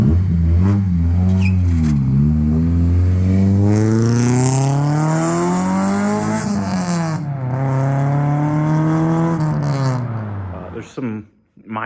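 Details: Freshly K24-swapped EP3 Civic, back to daily driving; smooth, even engine note climbing and falling with throttle, no knocks or rattles. Healthy, normal running.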